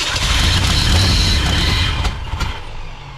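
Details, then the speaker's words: 1968 Ford F100 V8 after 4-barrel carburetor conversion and timing chain install: cranks and catches, runs loud and uneven, then sags off; hard start and rough running from a thumb-size vacuum leak. "that is an issue with a vacuum leak somewhere crazy we figured out where our vacuum leak was coming from didn't we old man"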